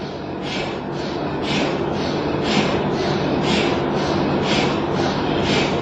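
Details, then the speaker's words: MRI machine helium compressor, piston type compressing helium to cool superconducting magnet to −269 °C: soft rhythmic chuffing about once a second over steady background hum, like a distant train; normal compressor operation. "E o barulho de pistão, então, faz lembrar um barulho de trem."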